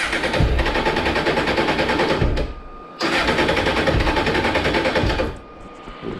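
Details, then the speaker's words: Honda Hornet 600 during full service, fresh oil: quick crank, catches, stops after about two seconds, then catches again and keeps running reasonably well before carburettor synchronisation; normal start. "żeby obroty ale na razie niech sobie chodzi później zaczną resztę aparatury całkiem sobie znośnie pracuje powiem szczerze"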